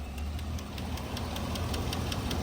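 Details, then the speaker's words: Chevrolet Tahoe 6.2 L86 V8 with DOD/AFM, suspected lifter failure: a sharp, regular ticking knock about five times a second over the idle, which seems to come from one of the two front cylinders. "Sounds like it's up front. One of these two up front. That's what it sounds like to this guy. I don't hear it back there, and I don't hear it over here."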